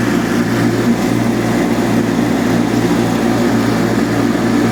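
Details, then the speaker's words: Revived Cub Cadet 782 Kohler single, with a new pulse fuel pump and cleaned carb, mowing wet, tall grass while varying RPM to seat the rings: deep, steady drone holds beat and pitch without bogging, pulls the heavy load cleanly. "so that you can tell that was a pretty heavy load right there and it just went right through it"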